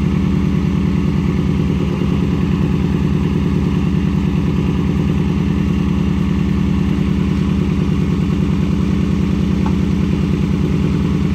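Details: Nissan 240SX S13, KA24DE, after fixing a leaking injector: steady but slightly uneven, lumpy idle, as if one cylinder isn't firing cleanly; owner suspects the injector still leaks and may replace O-rings.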